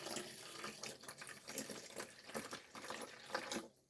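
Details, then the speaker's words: Boxio Wash portable camping sink: soft continuous trickling, no pump sound, as water runs out past the pressure-fit drain plug, which leaks unless fitted right; poorly seated sink plug. "And I will say as you can hear it running cuz the pressure fit, unless you fit it right, isn't the best, but it holds it enough."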